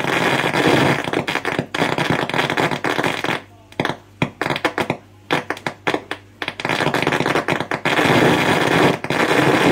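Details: 2006 LG 37-inch plasma TV, model 37LC2D: loud static crackle breaks into irregular sputtering bursts and gaps, then returns to steady hiss; faulty crackling, buzzing and glitching from the TV speakers.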